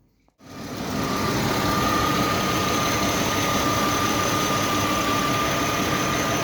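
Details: Mercedes W220 M112 E32, 372,900 km, after replacing alternator bearings and water pump to cure a knock: engine picks up into a steady, even idle with a faint constant high tone and no knock; healthy idle.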